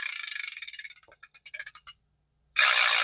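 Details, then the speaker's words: Daiwa 4000C vintage spinning reel after cleaning and reassembly: crisp rapid dry clicks slowing to a stop as the rotor coasts; ungreased anti-reverse is just loud, normal, grease would quieten it. "You can quieten that down by putting a little bit of grease back there. I like them loud."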